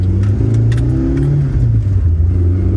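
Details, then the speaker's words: Toyota AE86 GTS on Haltech Elite ECU tune with lightweight flywheel, after an odd start: deep petrol drone rising with throttle and a tinny metallic exhaust rattle that sometimes stops when revved out. "s a weird start, and the exhaust is rattling. You guys can hear that."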